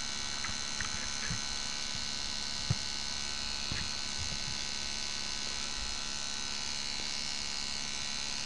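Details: Refurbished 1984 D.C. Johnson FAC-1 fuel/air lambda control unit for K-Jetronic CIS, on test bench: steady, even electrical buzz of about 71 Hz with faint ticks as the frequency valve cycles; normal frequency valve buzz.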